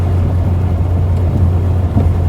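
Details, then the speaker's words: Carburettor petrol Austin Allegro driven uphill under load, changing to third: low engine drone with occasional uneven stumbles and judder, as if missing on one cylinder; intermittent misfire, cause unknown. "Yeah, I mean, up this hill now we're juddering. If I change to third, you can hear that. It's as if it's missing on one cylinder sometimes."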